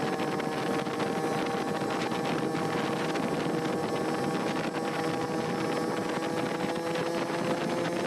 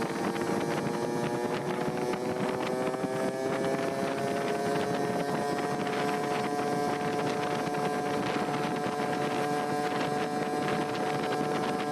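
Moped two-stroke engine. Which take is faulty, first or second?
second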